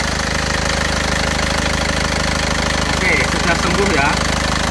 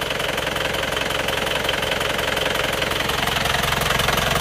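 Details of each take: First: Isuzu Panther pickup diesel after engine repair for blow-by smoke, warm at about 82°C working temperature: steady, even diesel clatter, smooth and regular with no misses or knocks; thick smoke gone, running normally. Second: Isuzu Panther pickup diesel before repair, cold at 35 °C just after morning start: steady clatter of about four beats per second with a coarse chuff and smoke, judged compression blow-by rather than oil vapor.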